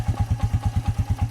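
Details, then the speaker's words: Suzuki single-cylinder engine idling, earlier would not start: light knock on every firing pulse, about eight a second, over a steady whir; cause unknown, fuel treatment to be tried to see if it helps. "kind of knocking a little bit so uh we'll run some fuel treatment in and see if that helps"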